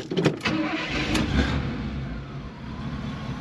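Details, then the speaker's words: 1978 Pontiac Formula Firebird 350 V8 on stock two-barrel top end, stock cast iron manifolds into single collector and small dual exhaust: catches and settles into muffled choked rumble with little bark. Restricted exhaust. "it definitely has a definitely has a really neat sound but you can tell it's restricted it's actually just cast of course cast iron stock manifold into a single collector"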